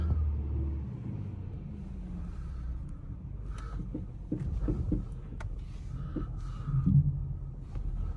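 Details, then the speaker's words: 2011 Ford Mustang rolling slowly in and out of the shop: scattered dull clunks from the front over a low idle rumble, louder when the front is shaken; front struts suspected, sway bar end links also bad. "You can hear that clunking up there. Sounds like it's coming from the front, and when I shake the front, you can really hear it up there."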